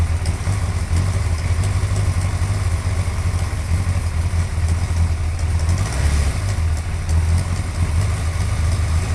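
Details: Suzuki GSXR 1100 motorcycle at steady deep idle with a faint light tick in the upper end; engine ticking at idle, cause unclear.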